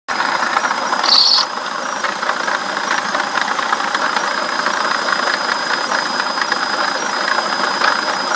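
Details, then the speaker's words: BMW E65/E66 V8 at idle: high, rough squeak from the water pump, no coolant leak at the gasket, squeaking for several days. Unsure whether pulley or bearing, but water pump bearing failure suspected. "but it has a rough little squeak to it right there and so I'm not sure if that's the Poley or just the bearing but my water pump bearing is going out it's been squeaking pretty bad like that the last couple days"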